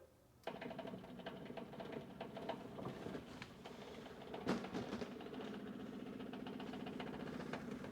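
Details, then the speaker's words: Vintage Ford Motorcraft electronic ignition advertising sign saved from a dumpster, first plugged in: a fast, regular sewing-machine-like clatter starts at switch-on as something rattles inside the mechanism, cause unknown. "I don't know if you can hear that or not. It seems like she's making some kind of noise in there."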